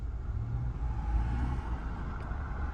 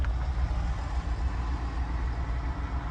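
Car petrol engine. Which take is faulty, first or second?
second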